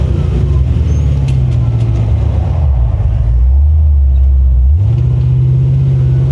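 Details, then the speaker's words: 1979 GMC C35 dually, which broke down at the start of a 1,200-mile trip after valve cover gasket leak work; restarted, deep steady engine note dipping and rising with throttle, no stumbling, running good. "Yeah. So, I mean, she's running good."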